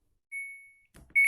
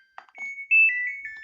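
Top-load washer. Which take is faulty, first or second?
first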